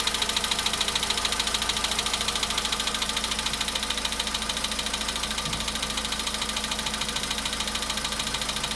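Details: VW Polo Sedan at 93,000 km, after a cold start: sharp, steady ticking knock rides over idle at an even pace, clearly mechanical; engine knock, source not yet identified.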